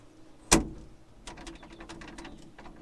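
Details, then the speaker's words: Brand-new John Deere 850L dozer cab: a sharp latch clack, then quick irregular tinny rattling of the open swing-out side window over a low idling engine hum; these windows rattle loudly and wear out. "drive with that open hear that rattle it rattles this is a brand new dozer"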